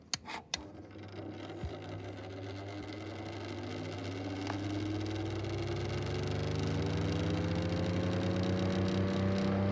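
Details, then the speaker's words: 1964 Pifco Spinair 9-inch desk fan motor spins up with a rising whir and a steady rough knocking/grinding, about two or three a second; the owner plans to check the bearings. "but yeah can you help me figure out what this grinding noise is"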